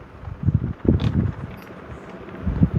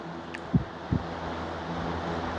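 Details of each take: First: Vintage Brinsmead desk fan that fell off a bench, on high: uneven low thumps and rattles, wobbling the bench; out of balance, not the cracked housing, maybe bent shaft. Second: Vintage Brinsmead fan that vibrated badly after falling off a bench, after repair running on high while sitting on a towel: even hum and rush of air, only slight vibration.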